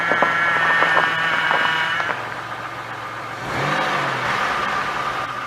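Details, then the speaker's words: Engine revving with a thin whine that rises with speed and then settles, from the power steering side, recorded with the camera at the wheel. Squeal is suspected to be low fluid, now topped up; if it persists, the pump needs replacing. "And then once it gets to where it's supposed to be, it should stop the squealing some. If it doesn't stop the squealing, then I need a new pump."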